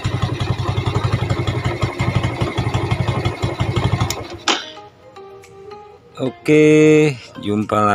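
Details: Yamaha Jupiter Z that ran rough and fouled plugs, reassembled after head work with valve stem seals replaced: for about four seconds the small single runs with a quick, fairly steady beat and no obvious clatter; clutch side still slightly rough.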